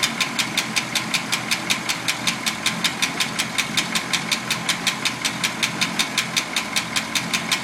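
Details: Packard engine at idle: steady light ticking about three per second following engine speed; lifter ticking suspected.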